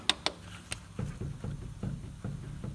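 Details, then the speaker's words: 20-year-old Ford Focus Ghia, driver's front wheel rocked by hand: dull clunks roughly every half second, knocking badly from a worn lower ball joint that needs replacing; passenger side ball joints fine. "there we go it's knocking like hell that's screwed so we need a bottom ball joint on the driver's front"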